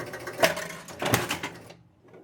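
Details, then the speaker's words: Spirit of 76 four-player pinball, player 3 scoring 100 points: single bright chime with a solid clack as the score reel steps, clean and crisp; chime and score reel working normally, unlike player 4 whose reel fails. "here's player 3 i'm just going to hit something with a hundred points or experience can hear the chime square rail looks great"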